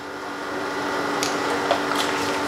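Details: Panasonic 1 PK air conditioner outdoor unit after a freon recharge, drawing 3.2 A amid high-amperage and low-pressure issues: a steady, even hum with a fixed mid tone and no knocking, rattling or surging; running normally.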